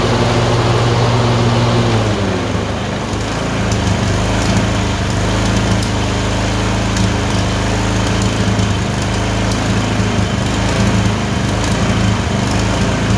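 Engine note shifts after a couple of seconds, then runs with an uneven, lumpy beat; a twin surging and missing randomly.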